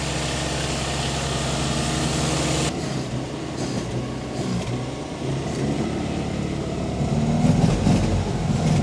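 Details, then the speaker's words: 1954 Austin A30 four-cylinder, first run in 52 years after barn storage, cold with cold coolant, being warmed up: slightly lumpy but steady low idle about three to four beats a second, no knocks. "that I just want to try and get it up to temperature cuz that should free things up as it's already done you see"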